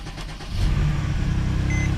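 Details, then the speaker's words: 2014 Mercedes-Benz C300 after misfire repair, cold Minnesota winter, injectors primed, low coolant warning: short crank then steady idle with low even rumble, no stumbling; smoother than before, still slightly unsettled while warming. "It definitely feels a lot smoother than it did before, but let's let it warm up and see how it does."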